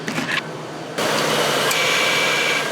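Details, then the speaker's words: 2000 Crown Victoria idling, AC system low on refrigerant at about 20 lb: compressor clutch clicks on and off, short cycling from insufficient pressure, before topping up the charge. "you can hear the compressor kicking on and off that's because it doesn't have enough pressure to keep it going"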